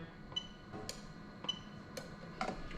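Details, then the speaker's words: Lexus LS400 1998-2000 1UZ-FE VVT-i engine harness adapted for an IS200 swap, engine not running. Camera is close to the fuse box beside the ECU. The A/C magnetic clutch relay clicks crisply about twice a second on the OBD2 active-test command, switching normally. "okay so happy with that so the ac media clutch relay is activating from the one user ecu when i do the command via the active tests on the obd2 machine"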